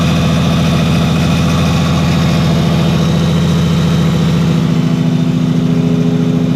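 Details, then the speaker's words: Nissan Skyline R33 with a freshly rebuilt turbo six (CP 8.5:1 pistons, GT3582R turbo, AEM ECU), first run in over a year after fixing the fuel line and thermostat. Deep, steady, even idle with a smooth rumble and no knocks: normal idle. "just to hear it running and even if it's just idling it just sounds so good"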